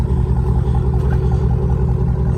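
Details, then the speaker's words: 2007-13 Chevy Silverado V8 idling after replacing the water pump, gaskets, thermostat, hoses and coolant reservoir; it is tuned with DOD/AFM turned off. Steady, even low rumble, running good, though the owner hears a very faint lifter tick. "it's running good man tuned it turned off the dod afm it's running good"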